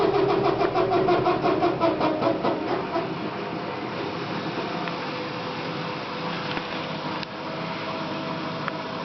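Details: 14-day-old Electrolux washing machine running with a strange rhythmic pulsing hum, nearly three beats a second, then settling to a rough drone; abnormal noise.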